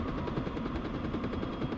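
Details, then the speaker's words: HCalory HC2 12V diesel heater (5-8kW) turned up to full, ramping smoothly, reaching about 192 degrees after a few minutes: even combustion roar with fast steady flutter, no surging or rattles; normal high-output running. "Let's just go ahead and crank it up for a while and let her rip. That's pretty slick. Got a nice ramp to it."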